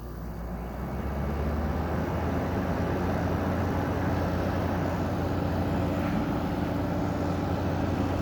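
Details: GE 5050 BTU window air conditioner with a 2016 compressor, blowing about 48 degrees: a steady, even, smooth low hum with no knocks or rattles, surprisingly quiet. Normal running.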